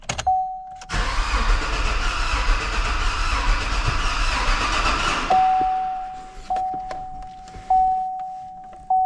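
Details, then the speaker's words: 2016 Chevy Silverado with frame damage, rebuilt, first start attempt without serpentine belt or coolant: starter churns about four seconds and the engine only sputters, then the door chime rings. No fuel delivery after fuel lines were apart; a few grounds were also missing. "so nothing so far. Let me just go check a few things and we'll see, but I probably just don't have fuel because I had all this fuel lines apart and everything."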